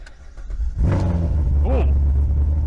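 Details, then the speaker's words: Salvage Corvette at Copart Dallas (trim unknown, clean interior, blown airbag), cold start: brief crank, V8 catches with sharp rev, settles into deep even burble that evens out as it warms; owner suspects it is cammed; normal cold start. "i knew this thing was going to sound good i didn't know it was going to sound this good my first instinct was that this car was cam as it warms up a little bit it's kind of evened out"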